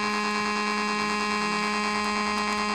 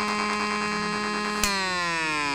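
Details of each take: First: Homemade AC-powered AM transmitter, heard on a nearby radio: loud, constant low buzz with a steady tone; signal so strong it overpowers the radio; on switch-off the filter capacitors discharge through the oscillator. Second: Homemade AM transmitter heard on a radio: steady buzzy tone rich in overtones, with a second whistle sliding downward behind it partway through; stray oscillation of unclear source, possibly external or the breadboarded astable multivibrator not working fully.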